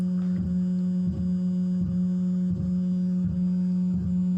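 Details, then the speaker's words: 2N3055 transistor amplifier under repair, speakers connected: steady hum with regular low tick about 86 per minute; ticking fault persists, 12-volt supply to be checked. "तो अभी भी दोस्तों वही problem है ऐसी आवाज़ ए रही है तो दोस्तों उसमें क्या दिक्कत हो सकती है साउंड के साथ हमारे दोस्तों यह टकटक आवाज़ नहीं आणि चाहिए क्योंकि यहां पर दोस्तों कुछ प्रॉब्लम है हमारे"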